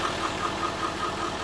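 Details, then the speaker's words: 2019 L5P Duramax under 60,000 miles at idle: uneven beat, regular stumble about every fifth of a second, truck shaking; misfire code on cylinder 4 from a failed injector connector pigtail not making connection. "We're going to start it up now and you can see what it sounds like. Shaking a lot. I'll jump out and look at the engine real quick. You can tell it obviously has a miss."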